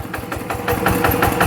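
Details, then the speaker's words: Yanmar TF85 LM single-cylinder diesel, quieter than the Jao Palang model, original rings, owner says no oil burning, slight exhaust smoke. Even thumping at about six firing pulses a second, no knock or miss: normal running. "รุ่นนี้มันจะไม่อ๊อดรุนแรงเหมือนเจ้าพลังนะมาอ่ะเสียงก็ประมาณนี้นะครับแต่ใครอยากได้หรือรับสภาพได้ก็โอเคนะครับ"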